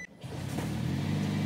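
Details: 2009 Toyota Prius with replacement catalytic converter after theft, first try sounded leaky, clamp corrected; revving in park to a steady, even drone without puffing or hissing at the joint; exhaust sealed, better.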